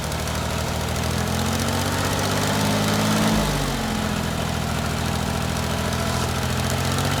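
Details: 1988 Yanmar 336D diesel tractor, unrun for 6 years, after fuel, oil, air filter and coolant checks, throttle at three quarters; steady low chug at raised idle, even beat with no knocks or misses, running cleanly.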